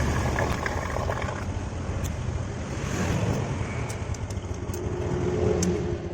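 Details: Honda Supra 125 single-cylinder motorcycle after repair of a stall-on-throttle-release and pinging fault traced to dirty valves, reassembled with oil confirmed circulating: low, even burble with a small rev rise, no ticking or misfire; runs smoothly.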